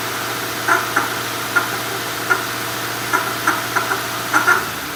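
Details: 2005 Mercury Marquis running, sharp uneven light knocks about nine in five seconds over a quiet engine; knocking suspected from a bad water pump, not confirmed.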